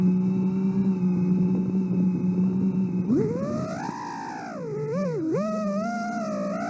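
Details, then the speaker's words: Armed five-inch quad on a Source One V5 frame with stock PIDs on Betaflight 4.4: hard buzzing tone warbling up and down unsteadily, motors oscillating from PID tuning; land immediately or motors burn out within 10–15 seconds. "yeah that's not if you ever arm your quad and you hear that sound you need to land immediately uh that sound will burn out your Motors or ESC more likely your Motors you will smoke a motor within 10 to 15 seconds"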